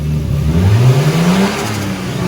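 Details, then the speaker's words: Turbo Nissan R32 Skyline revving after the throttle position sensor was fixed, before its tune: note climbs smoothly and falls back without stumbling, turbo whistle and exhaust audible; no leaks, running well. "Listen to that exhaust. I love the turbo whistle on these things. Yeah, nice. She definitely needs a tune, but she's working."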